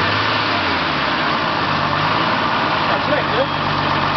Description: 1980 Mercedes-Benz 280E with M110 engine starting on LPG after valve adjustment.